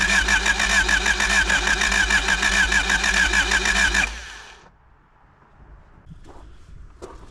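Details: 1985 Honda Civic parked 16 years, freshly topped with 10W-30 oil, with roughly 17-year-old fuel in the tank: even starter churning at about 98 beats a minute for four seconds with no firing; cranks but won't start.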